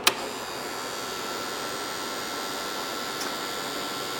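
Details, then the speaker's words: Compaq LTE/286 notebook floppy drive trying to boot a 720K disk: after a click, a thin, even whir that never settles into normal reading; likely a bad drive belt, drive not working. "Yeah, that sounds to me like a bad belt. Yeah, that sounds like a bad belt. So our floppy drive does not work either."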